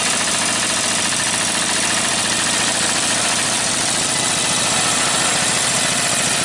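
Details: Briggs & Stratton 18hp opposed-twin with dual carburetors and dual exhaust, newly fitted to a go-cart, running out the gas: steady, even beat, crisp exhaust note, no misfires or surging; normal running.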